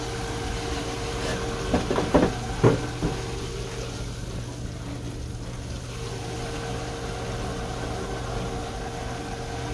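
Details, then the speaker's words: Rheem Prestige condensing tankless combo boiler, first power-up after installation. A steady low hum with a faint tone and a few clicks as the auto-fill kicks on, pressurizing the system toward 12 PSI. "I believe it said that's the auto filler just kicked on"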